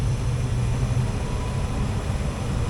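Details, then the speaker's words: Furnace blower after replacing only the blower wheel; the motor was kept. Steady, even low rush of air with no rattle or knock. The blower runs smooth and normal. "No noise. Smooth to the touch."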